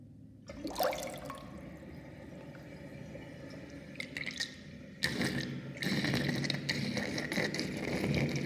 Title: Interesting drain with sinkplug 45.5 mm with triangle ring and whirlpool and gurgling sound